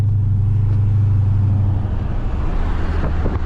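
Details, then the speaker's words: 2017 Dodge Charger Daytona 392 with muffler delete, in street mode out of eco mode, at light throttle: a deep V8 burble with a faint tinny, buzzy rattle creeping in; exhaust rattle, cause unclear. "so here you know it's just it's that ever-so-slightly just a like a rattling sound I mean no matter what"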